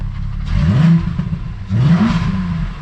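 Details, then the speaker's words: 12v VR6 Jetta wagon at home after first drive since refresh: two quick blips, revs climb and fall cleanly, crisp even note, no knock or rattle; coolant leak found afterward. Normal revving. "oh she's angry oh just the beginning for this thing just puts a smile on my face"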